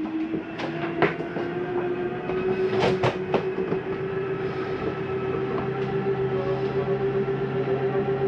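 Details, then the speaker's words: Jayco Eagle 30.5CKTS slide number three retracting: steady motor drone with sharp clicks as the slide bottoms out; normal clutch ratcheting, the mechanism stopping itself at full retract. "that noise is okay to hear that's the slide mechanism telling itself not to go in any further"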